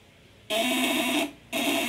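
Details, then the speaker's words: 8-ons 12V contact-breaker inverter with 20 µF capacitors, run at the 200 W setting: two bursts of an even, high-pitched buzz, lighter and stronger than at 500/1000 W, no rattle or sputter; normal inverter buzz. "Oh, tenaganya, suaranya lebih enteng dan lebih kuat ya."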